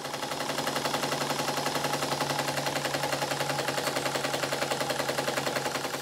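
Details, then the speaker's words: Model steam engine on the bench, second steam test after fitting six 4BA bolts to the steam chest and soldering the exhaust fitting: rapid harsh uneven exhaust beat about three and a half per second, like a machine gun; still rough but much improved. "engine still sounds like a machine gun but it's gone a long way from when this piston was fitted in it"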